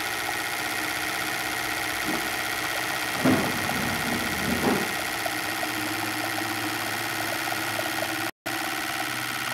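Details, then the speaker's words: Hyundai Santa Fe 2.7 V6 petrol, previously misfiring with heavy exhaust smoke, after replacing the last injector: idles smoothly and evenly with no stumble, miss or knock. "analisando a banda atualização o último big tá bom pra caramba olha tudo certinho agora né"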